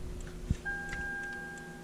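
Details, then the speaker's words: 2008 Toyota Sienna, new heater blend door (mode) actuator replacing one that ground and clicked: a single click, then a thin, steady high whir at even pitch as the motor drives to its set position; working normally. "and you see the motor down there turning. It's going to turn a while until it gets to where it thinks it needs to be on that setting."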